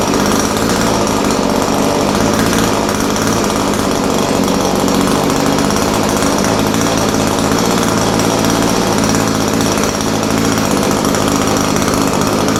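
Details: Echo SRM-210 straight-shaft line trimmer after repair kit (new carburetor, primer bulb, fuel lines, air filter), started on half choke, slight carb adjustment: small two-stroke buzzing at high steady speed without surging or sputtering; normal running.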